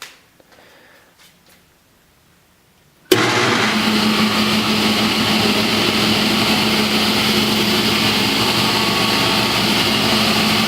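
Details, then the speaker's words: A restored 1966 Powermatic 66 table saw with a Century 2 hp motor and Square D starter switches on from silence and settles into a steady, even hum with blade whir and no rattle or knock; runs normally after the full restoration. "so there she is, full restore, 1966, good as new."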